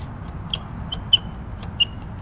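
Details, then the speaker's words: 2016 Kawasaki Z1000 clutch lever giving short, high-pitched intermittent squeaks from a dry pivot when pulled; fixed by squirting chain lube into the pivot. "Alright, the next thing on the agenda for old Jade is the clutch lever has a little squeak to it."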